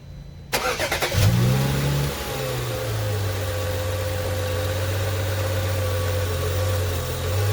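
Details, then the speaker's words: 2011 BMW 335i xDrive (E90), N55 six-cylinder, first start after replacing accessory belts and pulleys: cranks, catches, flares, then smooth even idle with no rattle or chirp; normal belt drive. "sounds good there's no rattle let's take a look oh good there's no rattling as you could hear"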